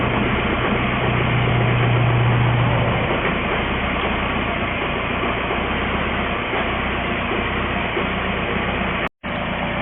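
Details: 2004 VW Jetta wagon, 1.9L TDI (BEW), which had run out of fuel, after priming the pump: fires and settles into a steady, even diesel clatter at idle with no misses. Normal start and idle.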